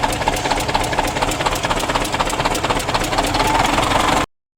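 Sharp regular taps, about four a second, ride clearly over a loud diesel idle; a tapping knock in the top end, cause not pinned down. Cause suspected, not confirmed.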